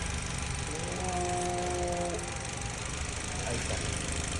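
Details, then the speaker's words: 2019 Mitsubishi Cross, 65,000 miles, with a transmission hesitation and power loss: a steady thin whine over the engine rumble from the CVT, a shaft noise blamed on poor lubrication from very dirty fluid. "Ese es un ruido del eje, que generalmente es con asa de lubricación. El aceite está muy sucio."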